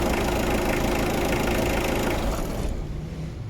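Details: Mitsubishi Adventure after replacing and cleaning the alternator carbon brush to cure hard starting: a steady, even idle with a smooth low beat and no knocks or misses, fading toward the end. Charging rises quickly to about 14 V; normal idle.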